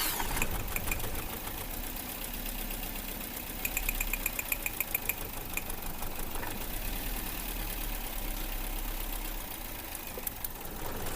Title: Car engine current misfire 🔥🔥 #automobile #misfire #electriccar #mechanic